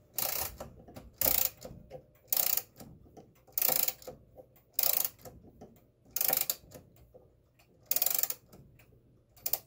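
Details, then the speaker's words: Vintage 1940s–1950s German Westminster chime wall clock, all three springs wound fully until the key stops and rebounds: bursts of crisp ratchet clicks roughly every 1.25 s with quiet between strokes; normal mainspring winding, nothing damaged. "there's nothing going to damage inside the clock there's nothing going to hurt by winding it up"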